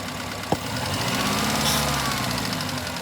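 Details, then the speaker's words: Four-cylinder engine idling rough with irregular stumbling, about three beats a second; one cylinder dead because its ignition coil was missing, heard during misfire diagnosis with a scope. "um you hear the way that car was running um probably a reason because it didn't have a coil so these things happen in when we're working on cars in real life when the pressure's on"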